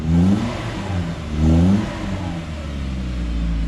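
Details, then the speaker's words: Suzuki Vitara turbo conversion on 4 psi, stock ECU, new dump-to-muffler exhaust, before timing check and first drive: quick blip climbs and drops cleanly, deep smooth note, no misfire or rattle; normal free rev. "that's good [Music] that's not crazy that at all"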